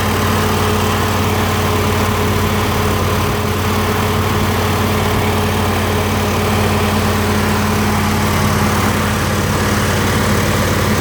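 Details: Ford 302 V8 driving an air compressor, after a tune-up with new plugs, plug wires, cap and rotor and a new fuel pump; steady low drone with even, settled beat, no misfires or knocks, running healthy.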